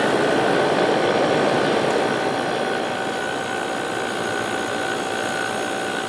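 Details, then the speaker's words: 1989 Fedders-made Climatrol 8,000 BTU window AC (Rotorex compressor, Samsung fan motor) on low fan as the compressor starts: steady quiet hum with faint tone, even airflow, no rattles. Healthy running. "And I'll go to low fan. Very quiet. And now let's start up the compressor. Quiet."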